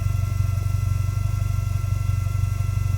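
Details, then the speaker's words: Toyota GT4 with a previously replaced in-tank fuel pump, engine running and louder after about 10 minutes: steady fast pulsing drone with a thin whine; noisy whining fuel pump, owner considers fuel resonator or pressure parts, cause unconfirmed. "Noisy old pump, innit? You hear that? Yeah, yeah. That's not right, is it? No. The old fuel pump's a bit whiny."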